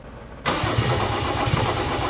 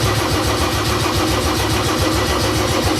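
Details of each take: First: Mercedes OM606 diesel with Ofgear pump control, battery being charged from a VW Polo: starter engages abruptly then cranks briskly and evenly with steady low thumping, not firing yet; cranking speed restored. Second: Mercedes OM606 diesel fitted with Ofgear pump control, start attempt in cool weather: steady starter churn about 3.5 beats a second that never catches; fuel still being primed, slowly drawing through.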